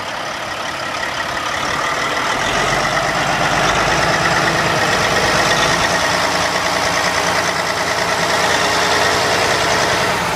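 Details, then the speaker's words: 2005 Sterling LT9513 dump truck, CAT C15 475 hp diesel, 616,237 km and 17,560 engine hours: ticks over evenly at idle with a steady clatter of about three beats a second and no misses or knocks; healthy. "Everything looks like it's working. It starts nicely. It sounds good."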